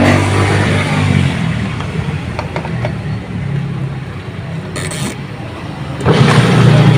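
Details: Washing machine after gear case and belt replacement, filled with water to check for leaks: steady low motor hum with water churning, even, with no knocks, slipping or grinding. The washer drive runs normally.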